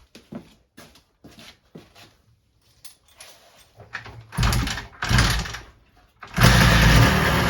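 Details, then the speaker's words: Suzuki GT250 X7 twin two-stroke after re-welding the down pipe and refitting the expansion chambers: scattered clicks, then it catches and runs with a steady crackle and no exhaust blowing; normal running. "I've got to get a bit of heat paint on the exhaust, but it doesn't seem to be blowing. I'll do a quick fire up so you can hear it, and then yeah, I'll wrap up then."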